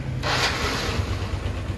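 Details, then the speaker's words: Yamaha NMAX scooter that had a harsh, grinding engine noise, after the throttle body was refitted and tightened: steady, even idle with a smooth low rumble, no ticking or grinding; normal idle after repair. "Nah ya suara mesinnya sekarang sangat halus sekali ya"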